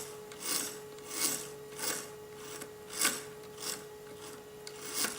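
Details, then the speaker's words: AimTop gearbox from eBay, opened and run on the bench: a rasping scrape about every half second as the gears turn slowly over a faint hum, caused by the bevel and spur gear teeth, not the shimming; rough gear mesh noise. "the noise is not because of the shimmy it's the gears they just make that noise"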